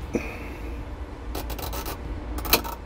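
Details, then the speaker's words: Frigidaire fridge with an older mechanical defrost timer: scraping as the dial turns, then one sharp click as the timer forces the fridge into its defrost cycle. "there that was a click so when you hear that click the the fridge this is the way to force it into defrost"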